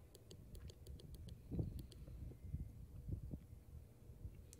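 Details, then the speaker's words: Dodge Grand Caravan power door locks: pressing the unlock button three or four times gives only light clicks, no thunk of the lock popping up; door switches act the same, so not the key fob. "so press it three or four times it won't unlock"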